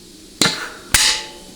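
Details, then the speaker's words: 4L80E rebuild, case air check of the manual second band: two sharp air blasts, each with a crisp clunk as the band grabs and a clean hiss after, a very good apply. "Okay, very good apply."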